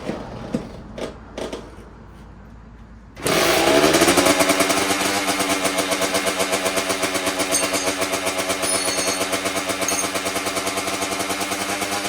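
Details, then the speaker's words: 2009 Kawasaki KX85 two-stroke with 35 pilot and 135 main jets: fires after a few kicks, then uneven surging idle about three pulses a second, running lean. Pilot far below recommended 42; owner suspects an air leak. "Pro Circuit recommends for the KX85 a 138 for the main and a 42 for the pilot, so we were way too small on the pilot."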